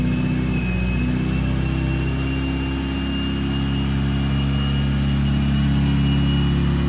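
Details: 1987 Toyota MR2, mid-mounted 1.6L DOHC fuel-injected 4-cylinder, about 42,000 miles: cold idle around 2,000 rpm, dropping as it warms; steady, even fast idle with smooth low hum, no knocks or misses; healthy.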